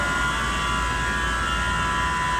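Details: Baldor 460 V chiller pump motor at 60 Hz, about 18.6 A, under fairly low load: smooth, constant electric hum with a clean steady tone and no rubbing or knocking; normal running.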